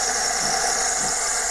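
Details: Saeco Aulika Top professional bean-to-cup coffee machine with separate coffee and steam/milk boilers; steady hissing froth over an even pump hum, no knocks or surges; milk system frothing normally.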